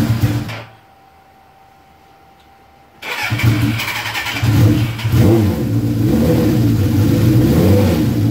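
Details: Suzuki GS1100E Mr. Turbo, first start since 1996, on choke: starter cranks, catches after a pause, climbs through rising revs and settles into a steady run; sounds fine, jetting still to be set on a dyno.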